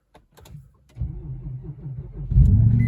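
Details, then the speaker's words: Infiniti QX70/FX, long unused, restarted after a jump boost: clicks, then a slow, labored crank of about four beats a second before the engine barely catches; owner calls it borderline, weak battery needing more run time. "a little borderline over there but it it worked I think it just needs a little more time running"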